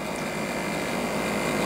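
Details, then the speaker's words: 2006 Can You Imagine Laser Star projector: its small motor gives a steady, noisy whirring hum with a hissy edge while the pattern wheel inside isn't spinning. "And turn it on here. Kind of noisy, but"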